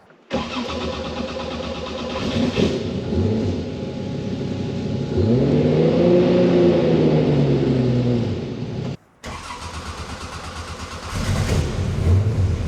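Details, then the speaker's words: RWB Porsche 911 Targa with freshly rebuilt 964 3.6L air-cooled flat-six, lightened flywheel, ITBs and fuel injection, after first tune: catches quickly, revs, settles to a crisp even idle; normal start and idle. "How's that sound? That's so nice."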